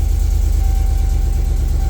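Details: 1999–2007 classic GMC Sierra/Chevy Silverado after fixing a crank-no-start by running the black coil wire to a battery ground: engine runs with a steady, even low pulse and no misses or knocks, running normally.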